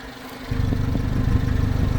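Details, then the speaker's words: Subaru Sambar crane truck, engine cover dropped, new plug wires: engine catches and settles into steady, even low idle with no misses, knocks or ticks; runs excellent, no blowby, wet exhaust or oil leaks. "All right, this thing runs excellent."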